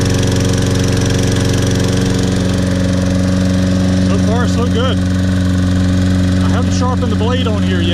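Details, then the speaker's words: Toro Personal Pace Recycler 22-inch, Briggs & Stratton 190cc 7.0 gross torque engine, first start after carburetor cleaning, tank flush from old gas, and new air filter; starts first pull, settles into strong, steady, even beat, no misses or surging; runs clean. "let's see if this will correct the problem with this toro personal pace that was really reeking of old gas first start here we go"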